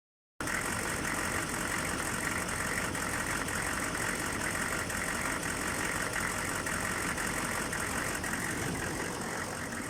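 Uneven, lumpy diesel idle that keeps shifting its beat instead of settling, a rough idle with no clear cause from sound alone.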